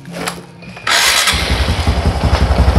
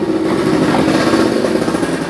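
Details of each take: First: Carbureted Honda Supra X125, cam chain noise repaired, cover bolt with O-ring refitted: engine catches and settles into a clean, even low idle with no ticking or chain rattle, sounding like new. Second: Older carbureted Honda Supra X125 with top end opened: loud busy idle with constant tinny chatter; noise blamed on the cam chain or cam chain tensioner stud, and it persisted after tensioner adjustment, cam chain rattle.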